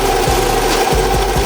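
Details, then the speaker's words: 2014 Toyota 2.4L AE-FE petrol engine running: harsh, regular clatter four or five times a second over idle from intake-side cam phaser at timing chain; phaser and chain to be replaced. "So, but yeah, if you guys are having this sound, you guys, trust me, that is that cam phaser acting up like that."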